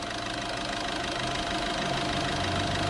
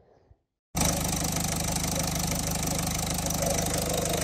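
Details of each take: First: Diesel idling after repair, with the timing chain and a non-original pump replaced: even, steady clatter with no rattle or knock, healthy idle. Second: Diesel car engine after its fuel rail pressure sensor was replaced: a light, uneven rattle of three to four per second over the idle clatter, suspected to be worn timing chain tensioners.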